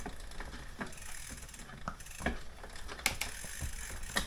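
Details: Aventon Level 2 e-bike with a new waxed chain and master link fitted, cranks turned by hand in the right gear. Soft chain rolling with light freewheel ticks and no grinding or skipping; the drivetrain sounds normal.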